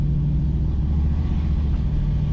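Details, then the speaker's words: Project Z28 V8 after a short warm-up, idling in gear with the idle air control motor reconnected after earlier stalling problems; deep, even rumble, no stumbles, misses or hunting, no stall; normal idle. "Alright, well, it's idling in gear. See what happens. Well, at least we're not running 30 at idle. That's a good thing."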